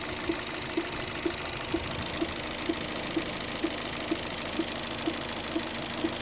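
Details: Opel Zafira B 1.8 Z18XER 140 hp engine at idle: sharp, even knock about twice a second over a steady idle; a knock from inside the engine, cause unknown.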